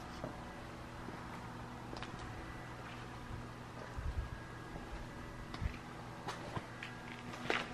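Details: 2019 Subaru Crosstrek parked with engine off: faint steady low hum/buzz under quiet room noise, the normal fuel/emissions system self-test described in the owner's manual.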